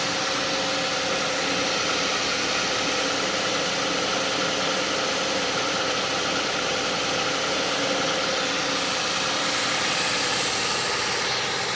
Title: Suzuki Grand Vitara 2006 2.7 V6 Cold Start, wierd grinding sound...